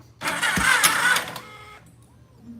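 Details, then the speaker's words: Vehicle "Black Beauty" with a fully charged battery: one short, loud crank burst of about a second that cuts out abruptly, and the engine fails to catch; it cranks only sometimes, and the owner says the starter needs replacing. "There it goes. Did y'all hear that? It tried to turn and then stopped. Sometimes it'll turn over, sometimes"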